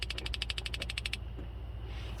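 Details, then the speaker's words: Brand-new propane stove burner in a 2019 Chevy Express 3500 LT 6.0L camper van, fed by a 10-foot hose: rapid, crisp spark igniter clicks for about a second, then a soft steady hiss as the burner lights; normal igniter. "So you can hear it clicking."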